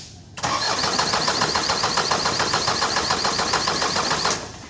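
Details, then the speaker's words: Isuzu 4HL1 diesel with ECU, won't start after sitting one day: steady starter cranking at about 3.5 pulses a second for four seconds, never fires. Crank no-start; suction control valve (SCV) suspected. "ayaw talaga guys. Ayaw."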